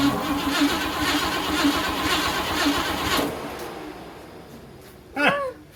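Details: 1957 Pontiac Star Chief Catalina hardtop, 347 V8, long-sitting, fresh battery: starter turns the V8 over evenly about twice a second for three seconds, never fires; cranks without starting.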